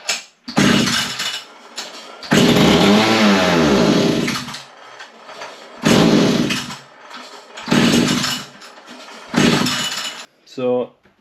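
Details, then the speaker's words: Vintage Italian Alpina 070 two-stroke petrol chainsaw, long sat, fresh fuel, no bar fitted, choke on; catches and screams a second or two then dies repeatedly, runs only on spray not carb fuel, cause unconfirmed. "it gets that far, but it won't run off the carb with the fuel."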